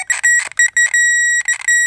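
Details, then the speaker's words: Power probe circuit tester hooked directly to the battery with long leads, checking fuses on a Saturn: short bursts of high steady beep on each contact; it gives different sounds for ground and power. "But I could go, it gives you a different sound for ground and power."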